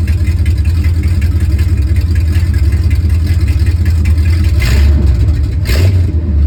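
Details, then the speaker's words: 1969 Ford F350 V8 after a long-tube header install, running on open headers with no mufflers, before a Flowmaster is fitted: a loud, deep, lumpy rumble with sharp rev blips near the end. Runs normally. "Hopefully, pretty soon we'll get a cold start with open header. See what it sounds like. I am betting it's going to be pretty loud."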